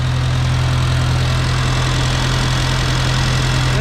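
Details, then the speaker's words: Farmall Cub after installing a new carburetor and in-line fuel filter; previously wouldn't run right without working the choke. Steady, even low hum, no stumbles or misses or smoke; normal running. "oh he's turning man that sounds good wow it wouldn't even run right with the other carburetor unless I sat there and played with the choke lever she's not smoking or anything that's fantastic"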